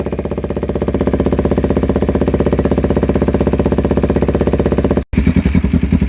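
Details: 2008-2012 Kawasaki Ninja 250R twin after service with new clusters, still warming up, lavalier mic removed. Quick, even idle pulses at a steady rate with no ticking or misfire gaps. Clean, normal idle.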